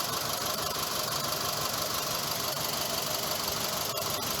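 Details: Mitsubishi Grandis idling petrol engine with an uneven beat, a slight stumble about three times a second; a known engine misfire fault on this model, checked with a PicoScope.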